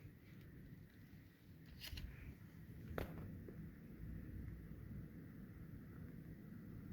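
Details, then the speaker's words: MSI RX 6750 XT Gaming X Trio graphics card under load: only a soft, steady fan rush with a couple of clicks and no audible coil whine. "Right now, all I can all I hear is the fans, which is normal."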